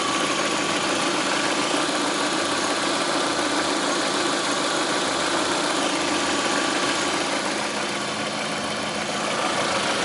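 Over a busy idle there is a loose, fairly quick tapping, roughly three a second; a knock worth tracing down. Cause suspected, not confirmed.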